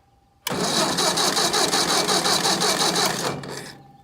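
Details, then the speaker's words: Ford 600 tractor dead in the field, cranking after new ignition parts were installed and wired, still not starting. About three seconds of steady cranking that never fires: no spark. "that sucks normally this thing fires right up that's how I know you know pretty much instantly that it's not plan D"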